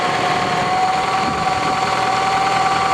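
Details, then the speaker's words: 1987 Toyota Camry LE, 4-cylinder automatic, about 200,000 miles, original engine: busy uneven clatter over a steady idle at roughly four per second; worn valvetrain clatter, owner suspects an air leak. "You can hear the clankiness. Sounds like there's an air leak. But this is what 200,000 miles gets you."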